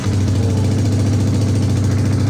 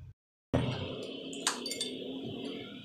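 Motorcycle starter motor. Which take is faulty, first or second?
second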